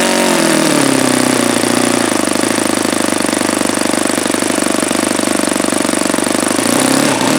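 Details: Saito FA-72a model four-stroke engine, first run with APC 12x7 prop, outdoors at about 71°F: high buzzy note that sags and hunts at start and end, uneven at the bottom end; owner suspects too lean at the low end.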